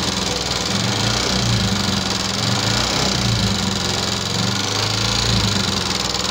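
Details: 2014 Yamaha Jupiter MX carburetor motorcycle, complaint of rough engine sound: at idle a rough, rapid ticking clatter ("kletek-kletek") over the steady putter. Valve train wear is suspected, not confirmed.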